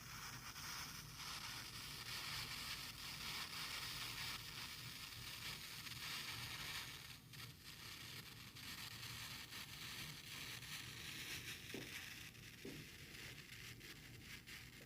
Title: Behringer Truth B2031A RFI/white noise/hissing sound?